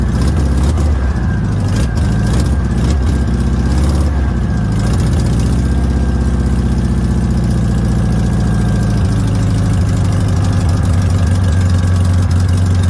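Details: VW Notchback after sitting since 2020, with rebuilt/cleaned 32 PHN carburetor, new wheel cylinders and brake shoes: steady fast idle, even low drone, no dips; idle deliberately set high because it ran poorly, cause not yet clear.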